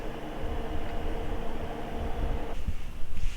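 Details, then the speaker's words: Iceco JP40Pro 40-litre 12V fridge on a Jackery, cooling to 39 degrees in Max eco mode and drawing 56 watts: quiet, steady hum that then cuts off, no rattles or clicks. Normal compressor running. "39 degrees currently in Max eco mode and let's go ahead and let it cool off so we can tear the compressor running but it's it sounds very smooth and it looks like it is growing 56 Watts"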